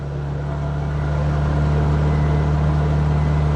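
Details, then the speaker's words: Jeep Comanche MJ on its first test drive in years, lugging in third gear up a hill: deep, steady drone pulling evenly with no knock, ping or stumble; healthy engine under load. "holds its own accelerates if we need but again I'm not expecting a lot from it"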